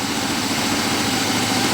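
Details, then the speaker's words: Engine with freshly adjusted distributor points: idle stutters and hiccups. Timing light shows the third mark, so timing is backed off to about 14° base. Warm idle is normally 570–590 rpm. "okay it should be a stady light but as you guys can kind of hear it too it kind of stutters and hiccups"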